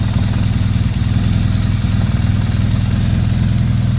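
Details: 2009 BMW R1200R boxer idling after gearbox repair for knocking and rattling noises, with a damper made and splines lubricated: even, deep pulse with no gearbox clatter or knocking, smooth and steady.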